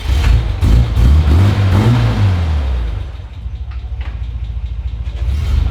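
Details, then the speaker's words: Nissan GQ Patrol after a new clutch, replacing a seized, squealing thrust bearing: pulls away smoothly as revs rise and settle, no squeak or chatter as the clutch takes up; normal engagement. "I'm really scared it's so sweet oh so soft Jesus well it doesn't squeak now the handbrake was on"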